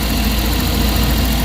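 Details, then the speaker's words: Suzuki DA64W turbo after camshaft sensor replacement and battery-disconnect ECU reset, previously high erratic idle: smooth, low, even idle with no misses, hunting or knocks, dashboard no longer blinking, rpm gauge normal; fixed. "Tahimik na siya guys. Okay na yung tira natin."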